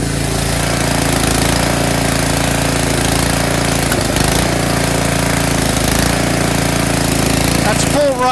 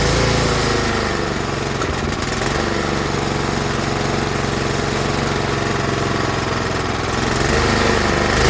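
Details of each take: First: Tecumseh snowblower small single-cylinder engine after cleaning a clogged carburetor pilot jet that caused surging: holds a steady, even beat with no hunting or surging in the revs; runs smooth and healthy. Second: Tecumseh snowblower small engine with a clogged carburetor pilot jet: engine speed rises and sags instead of holding steady, a hunting surge.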